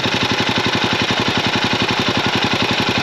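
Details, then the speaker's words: Royal Enfield Himalayan 450 idling with a sharp even tick about 220 a minute over a steady single-cylinder thump; excessive tappet noise, returned within 20 km after tappets were tightened. "ಕೇಳಿಸ್ತಾ ಇದಿಯಾ so vehicle engine ಅಲ್ಲಿ noise ಇದೆ reason ಏನಪ್ಪಾ ಅಂತ ಅಂದ್ರೆ ಟ್ಯಾಪೆಟ್ noise ತುಂಬಾ ಜಾಸ್ತಿ ಇದೆ"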